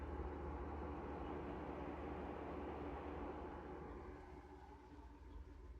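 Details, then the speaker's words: Cooler Master Cooling X PC, idling with YouTube and Chrome open, microphone next to the power supply: a steady loud whirring hum with fixed tones from the PSU fan, which never turns off despite the roughly 20 dB silent-idle claim. "that seems to be where all the noise is coming from"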